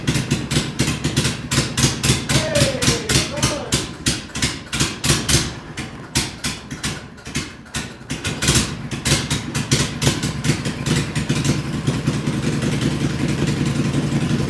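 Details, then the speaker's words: Max 2 twin-cylinder engine, not run for several months, started without carb work: rough popping low-speed beat with some clatter that settles steadier toward the end; keeps running, judged normal with good torque. "I didn't pull the carb off that nothing it fired right up and man that those two cylinders sound pretty good it's got some torque"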